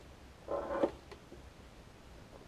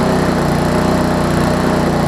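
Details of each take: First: Lawn Chief push mower engine, turned 180 degrees with new recoil cover, started with starter fluid after finding the air filter backwards: catches into a fast, rough run with a raspy scrape; owner suspects the air filter cover rubbing the guard. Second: Lawn Chief push mower small single-cylinder engine, turned 180 degrees with new recoil cover, air-fuel mix corrected and needing starter fluid on cold starts: fast, even buzz with no surging or misses; normal running.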